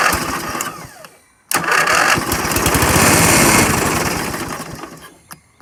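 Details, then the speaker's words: Dixon riding mower left a decade in the woods, fresh gas added to the tank: small engine catches at once and putters evenly for a few seconds, no knocks, then fades as it runs dry; normal brief run. "that sounds good enough to me to go a little bit further so that's what i'll do"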